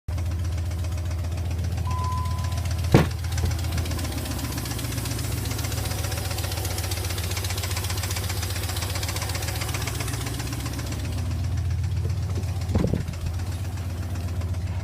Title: 2002 Dodge Ram 4.7 lifter ticking